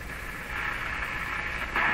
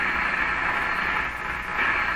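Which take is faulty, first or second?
second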